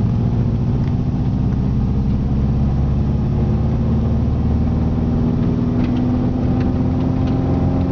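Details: Subaru EJ20G turbo at wide open throttle while driving, feeling powerless: flat, gutless roar with rough uneven pulse and slowly climbing tone; hole in a piston causing zero compression and an extreme exhaust leak.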